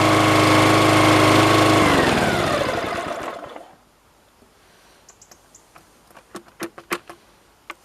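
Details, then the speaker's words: Brand-new petrol lawnmower on its very first start: steady, even engine drone for about three seconds, then it winds down and stops; a clean first-start run with nothing wrong. "But that was pretty good. So once you start it up for the first time, it's good to keep it going for about 15 minutes, but not on full power, but just alternate, not idling, but in between."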